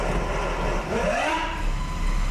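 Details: 2013 Jeep Wrangler Unlimited 3.6, 4WD, NAG1 (722.6) automatic, noise in drive or reverse: shifting into reverse, a whine sweeps up in pitch then holds steady over idle; stripped pump stator where it fits into the torque converter.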